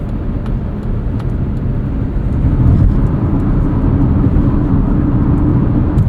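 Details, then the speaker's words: 2024 Mazda CX-50 Meridian Edition, turbocharged 2.5 4-cylinder, 6-speed automatic, Falken Wildpeak all-terrain tires, while driving; steady road roar with rushing wind from the roof rails and faint cabin rattles, possibly worsened by big temperature swings. "can start to hear the wind noise from those roof rails and there's a few rattles creeping up we've had some pretty big temperature swings here in southeast Michigan this week so some of that could be attributed to that"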